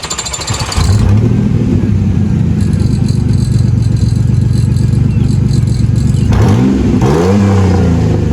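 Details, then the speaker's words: 3rd gen Pontiac Firebird: loud, raw, blatty exhaust that rasps and chuffs as revs rise; exhaust leak. "I have found the issue. And well, I mean it's not really going to hurt anything driving like that. It just sounds like crap. So what we're going to do in this video is number one we're going to fix that exhaust leak."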